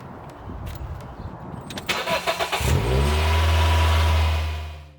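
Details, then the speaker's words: Engine start after oil change with new 5W-40 oil: cranks, catches and settles to a steady even idle; brief dry rattle at first clears quickly, normal start-up. "engine sounds dry at first, however this disappears quickly."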